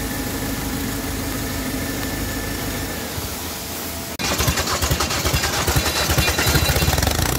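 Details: PSA diesel engine fitted in a Mazda: harsh rattling hiss that swells when revved; turbo damaged after running out of oil pressure, lack of lubrication.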